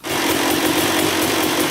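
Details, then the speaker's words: 2000 Suzuki RM250 two-stroke after welding the underside of the expansion pipe: crisp, even, steady idle with no puffing or ticking; weld holding, no leak, run about 10 minutes, oil not milky. "all right let this thing run for about 10 minutes the pipe is fixed on the bottom it doesn't leak out there so the weld is holding up good"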